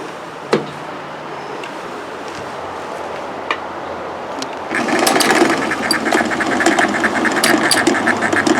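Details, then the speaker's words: Older mechanical sewing machine with the bobbin winder lever engaged. A fast, light, even rattle is heard, and the needle moves up and down. This is normal for old machines; the newer machine winds quietly with the needle still. "So here you hear the rattling sound of the machine when you're using your bobbin spinner."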